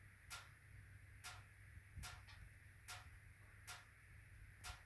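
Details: HWAM Wiking Mini 2 wood stove, warranty replacement, automatic air control readjusted: regular sharp metallic ticks about once a second, ticking then banging through the 45-minute burn; owner suspects bimetallic coil spring hitting a mechanical stop.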